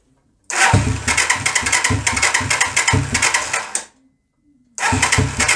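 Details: 125cc Sinnis Heist hardtail chopper being rescued, first start attempts; fires and revs in rough bursts about three seconds, dies, catches again, no steady idle; starts then stalls, float height later adjusted.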